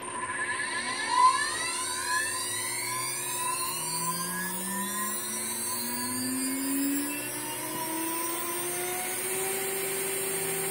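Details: Water-cooled CNC spindle run at 23,000 rpm, recorded on a cell phone sitting closest to it: clean whine climbs smoothly as it spins up, then settles to a steady, even tone quiet enough to talk over. Normal, healthy running.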